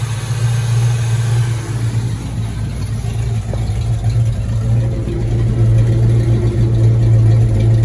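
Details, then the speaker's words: 1986 Ford Mustang GT V8, original miles, sat for a long time, heard from underneath near the fuel pump/filter: lumpy, uneven idle at about three to four pulses a second; running rough, suspected misfire, cause not yet found. "Uh-oh. Kind of sounds like it's messing though."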